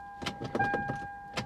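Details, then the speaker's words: Salvage V8 BMW X5 at auction, foot on brake: several sharp uneven starter clicks over a steady warning chime, fuel pump audible, engine never turns over and shifter won't leave park; cause not confirmed. "i hear the fuel pump i hear the starter click and you can't this doesn't move huh well guess what guys this doesn't run"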